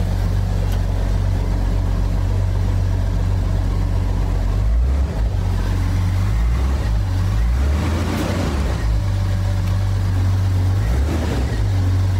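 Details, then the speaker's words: 1991 Jeep YJ 4.0 first start after sitting six months, exhaust cut off after the manifold: loud, deep, uneven rumble with raw pulses and rev dips, running again. "man it it it sounds a little shitty because the exhaust is cut off but it sounds awesome to hear running again"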